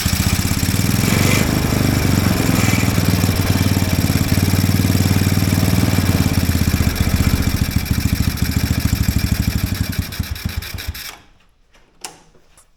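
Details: Mini Willys-style Jeep small engine while turning the carburettor idle screw in: uneven, lumpy idle that wavers, surges and dies; carb throttling up and down by itself, suspected sticking, gummed-up slide given the dirty air filter.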